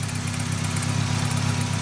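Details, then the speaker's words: VW Cabrio, head gasket in question and oil issue pending, just restarted: rough, slightly shaky idle with light clacking through the steady drone, no smoke; cause of clacking unconfirmed. "It's idling. It's idling. Engine's a bit shaky. I hear some clacking around. That's probably not great."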